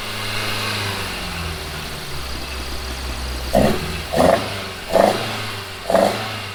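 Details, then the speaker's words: Toyota AE86 on the OEM ECU with a coil pack setup: four short, uneven rev blips over a low idle, hesitant and rough; cause unconfirmed. "it ran better as a three-cylinder that it doesn't look good did you did you just hear that"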